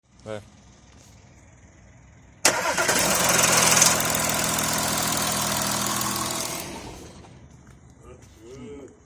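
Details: Audi A6 start-up: engine flares, then a fast even chatter rides over it before settling; suspected timing chain rattle.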